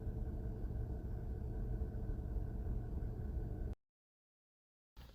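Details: Hyundai Grandeur HG 3.0 GDI at warm idle in Park, comparing stock iridium and ruthenium spark plugs, short-term fuel trims near normal: smooth, even low hum with no misses or ticking; healthy normal warm idle.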